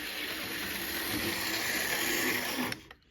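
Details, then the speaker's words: Cheap old metal-chassis HO gauge model locomotive whirs with a harsh gritty grinding buzz, then cuts out. Suspected dry gears needing oil and a motor choked with carbon buildup needing cleaning. "yeah definitely needs some oil in the gears and it definitely needs a motor cleaning that sound you're hearing that grinding sound that's the motor trying to chew up carbon buildup that has accumulated in the motor"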